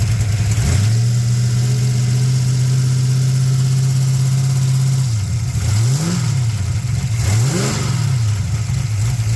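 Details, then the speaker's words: 6.0 LS-swapped S10/Sonoma revved then released with aftermarket rocker arms and a slight header-collector exhaust leak: high rev, drop and two blips, faint marble-like rattle as revs fall; cause unconfirmed. "these rocker arms they do make a little bit more noise than the stock ones you got just a little bit more weight rolling around but you can hear a little you can hear it kind of a green ring like a swirl sound almost like some marbles or something"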